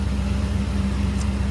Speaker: sounds good running well time to take him around the block and see how the front suspension's working out